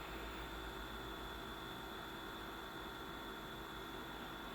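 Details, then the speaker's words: BenQ W1080ST DLP projector after cleaning smoke buildup, lamp lit and fans running: steady thin whine at one pitch over the fan hiss; the color wheel is noisy and may need replacing. "light looks good shining through the mask pretty well but wheel is a little noisy though you hear that that that whine probably could use a new wheel"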